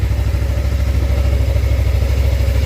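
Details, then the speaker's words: Suzuki GSX250R fuel-injected bike after FI light repair. Steady, even low putter, no misses or ticking; both fuel injectors sound fine and fuel smells better than before. Normal idle. "sounds really healthy both fuel injectors sound like they're working just fine so fuel smells good actually it smells better than it"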